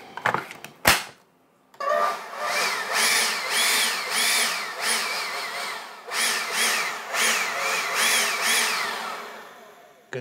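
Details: Ryobi P21081VNM cordless leaf blower after replacing its damaged fan blades, final test: spins up smoothly, whine rising and falling with the trigger, no scraping, rubbing or loud noise.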